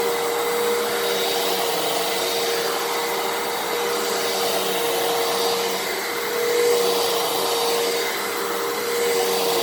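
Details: 12 Amp Fantom Fury upright vacuum, made October 2000, running after a clog was cleared from its plugged-up airpath: smooth, even motor whine with steady airflow rush, no surging or choking; normal healthy running, though cyclone action reportedly weaker than the Thunder.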